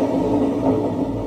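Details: Washing machine before the drum bearing replacement, drum turned slowly by hand: a coarse, low grinding rumble that rises and falls with rotation. The noise is worse in the spin cycle, pointing to a worn drum bearing.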